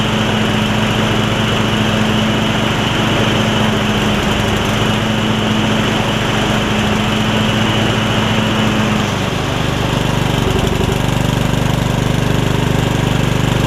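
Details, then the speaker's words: Yard Machines rider single-cylinder, revived after its engine filled with water, thumps steadily, its pitch sagging as load comes on while trying to cut, sounding rough and labored. Valves are ungapped and it smokes; the owner suspects residual water and will adjust the valves once cool. "part of it missing is i didn't gap the valves when i fixed it or when i put the valve cover back on so i need to do that one more time"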